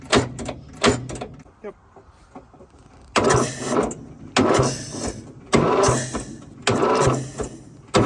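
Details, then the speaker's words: Fiat 450 Special tractor on a very cold day, run after ATF was worked out of the cylinders: harsh, ragged clattering bursts about once a second; severe mechanical noise, afterwards a snapped crankshaft was suspected. "right everybody if you haven't worked it out yet from the noises this tractor is rooted uh definitely something not right"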